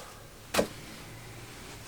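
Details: Owner's car, previously started after a jump then failed again: one sharp click at the key with no crank; no-start clicking, cause not confirmed.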